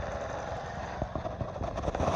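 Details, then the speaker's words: 1986 Honda Magna idling, microphone moved close to the engine: a quick, light tick about six or seven times a second. The source is unknown. "So this is the sound of his beautiful bike, Just sitting idling in."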